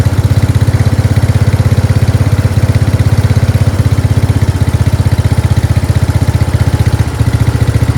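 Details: Craftsman 13.5 HP 30-inch rear-engine riding mower: the single cylinder thumps at a steady, even beat of about four pulses a second with no stumbles. Running smoothly; a collapsed fuel line was found starving it of fuel.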